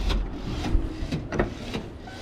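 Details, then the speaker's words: LSA-swapped Mustang whose door lock has been acting up. Short whirring buzzes repeat about every half second with nobody touching the door; the lock actuator is cycling on its own, cause unknown. "Come on, unlock. It's been doing this weird thing where like Weird. that."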